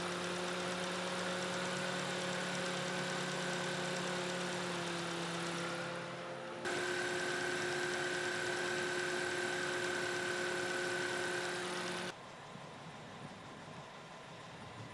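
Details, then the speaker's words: Toyota Matrix after new alternator, new belt and pulleys: steady even idle with faint accessory hum, no knocks, squeals or belt chirp; running smoothly after repair. "Alright guys, everything is buttoned back up and it is smooth running."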